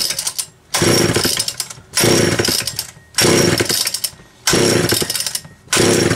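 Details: Homelite Super XL chainsaw, cold start after nearly two weeks unused, recently serviced starter, carburetor and fuel cap, new spark plug, rim sprocket: crisp even revving bursts dropping cleanly to steady idle; normal running.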